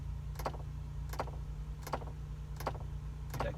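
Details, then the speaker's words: 2002 Ford Explorer, ignition on, dial turned to heat: sharp even clicks from dash about every 0.7 seconds over blower hum, airflow stops; owner suspects blend door actuator, replacement planned. "well I've turned it to cold and you can see it shuts off when I try to get some heat and after doing some research online I found out that this is an issue with the air door actuator"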